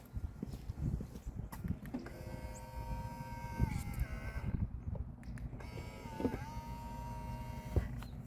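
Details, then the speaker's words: 2021 Ford Mustang Mach-E electric folding side mirror, newly replaced under warranty: smooth steady motor whir as it folds, no catching or grinding; normal operation, though the motor noise is inherent. "Oh, that's some smooth actuation. Still doesn't sound great, but that's how they sound."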